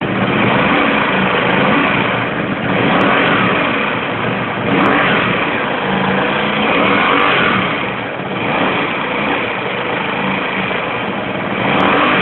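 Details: Comet 250 motorcycle idling with an uneven, wavering rumble and a few sharp ticks; strange engine noise of unclear cause.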